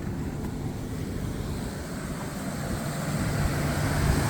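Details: Mercedes W124 with a Toyota 1JZ distributor engine that had rough idle, then no-start with no spark. After replacing the water-damaged ECU it starts first try and idles with a steady, even hum and no stumbles; healthy idle.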